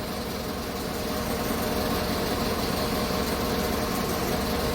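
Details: 2015 Chevrolet Tahoe V8 at idle, after an engine overhaul, with a travelling misfire (P0300) that returned. The idle is uneven and lumpy with an occasional stumble. The cause was spark plugs with gaps set too close, and cleaning and regapping them cleared cylinders 6, 1 and 3.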